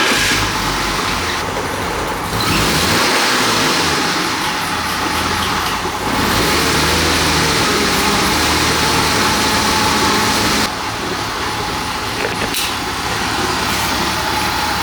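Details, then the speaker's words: 2001 BMW 325i sedan, wrecked car just revived, started somewhat warm: uneven, lumpy, hunting idle; owner notes rough idle when cold, code reader suggests fuel-related issue, cylinder 1 lean, not confirmed. "I've noticed that when the car is cold and I first start it up, it wants to idle rough."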